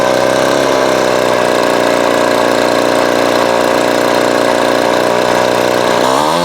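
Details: Vintage Craftsman 22.2cc 14-inch two-stroke string trimmer, estimated early-to-mid 1980s, original spark plug and fuel filter, fuel line replaced and carb cleaned; steady high idle buzz, dropping off smoothly at end; runs clean and even, healthy.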